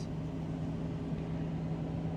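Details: Diesel semi truck after turbo repair at a truck stop, idling about 900-945 rpm with turbo speed near 6,000, rising to about 27,000 rpm when idle is bumped: steady low even drone, no knocks or misses; normal idle.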